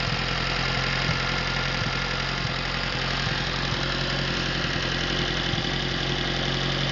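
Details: Atomic 4 inboard gas engine overhauled last summer (new pistons, rings, valve springs, plugs, wires, water pump), run on a test stand for a 17-foot homemade wooden boat; steady, even idle, no knocking or misfire, normal idle.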